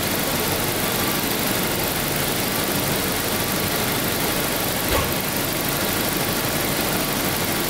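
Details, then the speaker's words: 1992 Daimler Double Six V12, warmed to operating temperature, checked for an odd sound at certain rpm: steady, smooth idle with an even hum and no ticks, knocks or odd tones; normal warm idle. "it's running nicely now no no weird sound at all i did let it warm up before so this is pretty much a buffering temperature"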